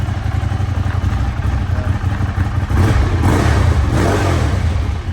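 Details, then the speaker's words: Ducati 848 after the shop replaced a suspected faulty throttle position sensor that caused fluctuating revs: clean, crisp throttle blips rising and falling without stumble or misfire; sounds fixed. "They've replaced the throttle position sensor, hopefully cured it. It sounds a lot better."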